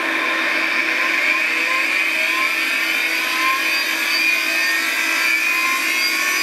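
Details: Classic Digital (DEC) hard drive in a special holder, spinning: a steady high-pitched whine with a low hum and faint wavering tones, no clicking or grinding; owner asks whether it should sound like this and suspects cleaning may help; cause unknown.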